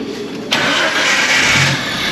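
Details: 1991 Jeep Comanche after crank-no-start repair (broken distributor rotor) and tune-up with regapped plugs; a short crank, the engine catches at once and settles into a steady idle, starting normally.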